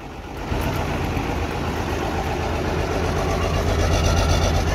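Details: Pickup with 12-valve diesel swap, P7100 pump with a stuck rack repaired, first start-up with no coolant: steady, even diesel clatter at idle with a firm low rumble, no stumbles or knocks; normal idle.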